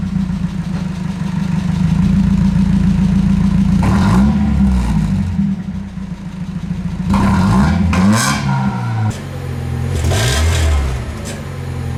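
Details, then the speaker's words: 1990 Mazda Miata revving with a newly installed replacement exhaust, fitted after a catalytic converter replacement failed to cure a rattle: deep, loud, raspy note rising and falling cleanly, no rattle; simply a loud aftermarket exhaust. "a little ricey really l loud huh"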